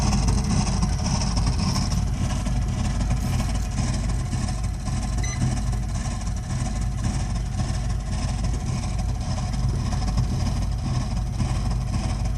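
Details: Burnham Alpine boiler with a continuing loud-noise problem: loud, steady, deep roar with an uneven throb and no clean tone; harsh combustion rumble from the burner, cause not yet known.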